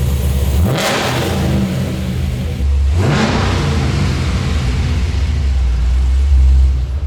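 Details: Supercharged LS3-swapped 1962 Chevy C10 after fitting twin 360 LPH fuel pumps and new X-pipe exhaust: big V8 catches, barks through two sharp revs, settles into deep lumpy even idle; sounds healthy.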